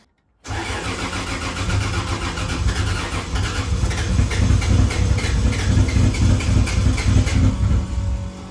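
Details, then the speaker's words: Freshly rebuilt 2JZ in a KE70 Corolla, first start: uneven, lopsided low thrum with beats dropping out, missing a couple of cylinders because some injectors were unplugged; runs properly once all are plugged in. "think we're missing a couple cylinders actually."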